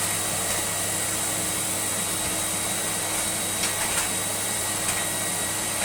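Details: Electrolux Lite Deluxe Z1810 cylinder vacuum after restoration, motor top bearing regreased and fan-case bearing oiled, no hose leaks: steady, even hiss-whine at constant pitch with light handling bumps, a healthy running vacuum.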